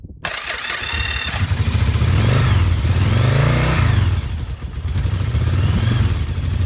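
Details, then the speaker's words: Restored Yamaha Virago 1000 V-twin, first start in about a year after a new starter, fresh gas and new intake and exhaust gaskets: a short crank catches at once, then a deep, even lope with clean blips and no misfire. Healthy start. "So here it is, it's a big deal - the bike's running again and it sounds fantastic and I'm so happy."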